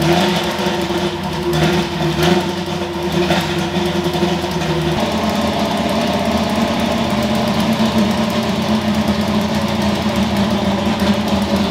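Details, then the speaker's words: Ford F100 V8 after tune fix (plugs had run dark) and new spark plugs: lumpy idle, quick clean revs returning evenly to idle, no misfire or stumble; tune significantly better, drivability expected to improve. "all right well this thing is absolutely Rowdy as you can see and uh the tune's a lot better like significantly better I can tell the drivability is going to be better"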